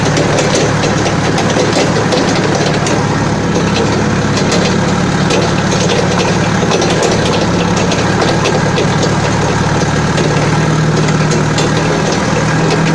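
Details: Balkancar diesel forklift after repair, with engine, clutch, brakes and running gear overhauled. Steady, even idle with a smooth low chug and no knocks or misses; the engine sounds healthy and settled.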